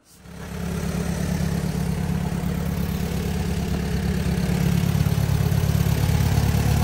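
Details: 1944 Allis Chalmers B four-cylinder tractor, cold start after fitting a newly rebuilt FMJ magneto and setting ignition timing: it catches and settles into an even low chug of about three beats a second with no misses, idling cleanly.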